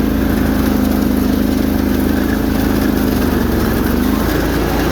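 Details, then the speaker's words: Bolens 1600 Hydro tractor with 20 hp Briggs V-twin, snowblower at high throttle: strong even drone with no misses, knocks or surging; normal running. "You can hear those usually are the happiest on the snowblower when it's that high"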